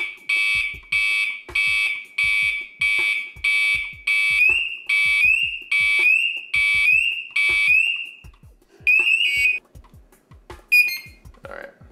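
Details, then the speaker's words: SCBA PASS device left to sit and sound off through all its alarm stages: loud shrill chirps about every second, then a rising warble as it steps up; normal PASS alarm operation, functioning correctly. "I'm going to check to make sure the pass device functions correctly. So you're going to let it sit and sound off, go through all of the different stages."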